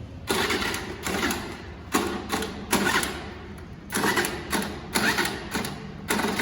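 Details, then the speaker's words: Scooter that won't start: repeated short bursts of electric starter whirring, each stopping without the engine catching; starter cranking, no start. "Okay सी मेरी scooty start नहीं हो रही है, तो I don't think कि ये plan थोड़ा सा मुझे डाइसी सा लग रहा है, होगी या नहीं होगी।"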